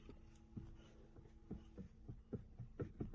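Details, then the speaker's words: Bentley Continental GT Cabrio, engine off, steering wheel turned: dull irregular knocks about three a second, heard in the cabin as if from the steering column, but coming from the steering rack next to the firewall; no column play found. "Несмотря на то что звук мы слышим в салоне источник звука у нас находится в рулевом механизме он находится сразу же возле моторного щита и практически сразу переходит в рулевую колон"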